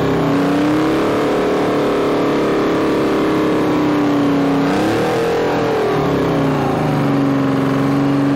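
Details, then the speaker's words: Bantam C350 crawler crane, believed to have a Detroit 3-53 two-stroke diesel, sat about 20 years; steady buzzing drone with slight pitch wander, firing evenly on all three cylinders with no knocks or misses. Normal idle. "oh yeah it doesn't sound bad at all it's hitting on all three i don't know it's detroit's man that's they're not a lot of power but they are a lot of reliability they always run if they spin they run"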